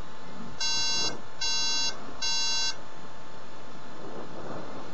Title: MAc Book OS Starting problem.Unknown meaning of beeping sound